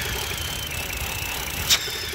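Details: 2008 BMW with N52 engine that was misfiring, shaking and idling rough, before repair. Thin high whistle over a hissy idle: internal vacuum leak at the PCV valve.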